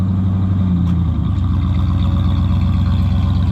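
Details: 1996 Ford F150 with 239,000 miles, no smoke, during exhaust repair: a deep, steady idle with an even low pulse and no misses, ticks or knocks. The engine is running healthy.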